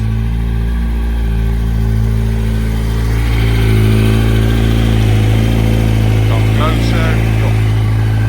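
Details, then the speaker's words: Yamaha R1 four-cylinder, warm after a couple of heat cycles, after investigating a knock and checking a big-end bearing: smooth even idle with cooling fan running, no ticking as the old motor had; sounds healthy. "You can hear the fan running, and from here you can hear she sounds great."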